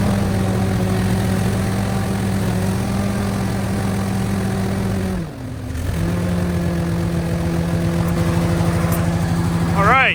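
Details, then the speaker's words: 1970 International 434 tractor after distributor adjusted to correct timing: steady even low thrum with one brief dip, then clean rev blip; runs and revs well. Normal idle. "that might be just where I want it seems to run pretty good"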